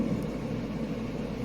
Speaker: and it's blowing through here, so that's cool. Also here, do we have lower? No, that's that area is being blown into by the fan.